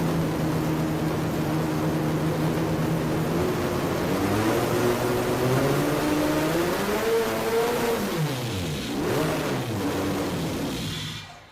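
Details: Mazda Miata with twin-turbo 12-rotor rotary swap, Haltech ECU, running on ethanol, oil pressure good, throttle tipped in: smooth, even rise and fall through the revs, turbo spooling cleanly, no misses or knocks; healthy on boost.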